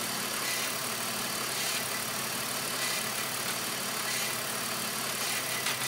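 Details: BMW Z4 rough idle: idle hunts unevenly with irregular stumble about once a second and hissy top end; air flow meter recently replaced and ruled out, cause not yet found.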